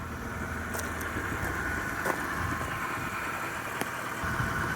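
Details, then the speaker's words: BMW 325i (N52) fixed after the VANOS bolt recall: quiet, even idle with only a faint fan whir and light click, no ticking or vibration; normal idle. "but now let's see how quiet it is you can hear the bell and you can hear a fan or whatever but no diesel ticking no crazy vibration sounds smooth idle really quiet"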